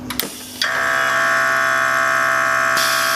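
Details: 2017 Harley-Davidson M8 Touring with Xotic Customs Taildragger rear air suspension, Fast Up tank full, switch pressed: after a click a loud steady buzzing motor tone starts and holds even; air compressor refilling normally.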